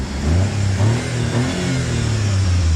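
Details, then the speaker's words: Joyner Renegade R2 4x4, Chery automotive engine, 5-speed manual: engine revs up and settles smoothly with no knocks, rattles or misfires; quiet, no smoke, motor sounds fine. "But the motor sounds good, it's quiet, there's no smoke. I think the motor's just fine. We'll rev it up a little bit."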